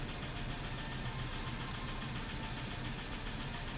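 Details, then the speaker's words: F-150 with 180,000 miles, idle: faint fast ticking over steady rough idle; sounds almost like valve train, plus a misfire and P0325 knock sensor code; cylinders two and six suspect; ticking noise at idle. "almost sounds like B train but it also has a misfire as well"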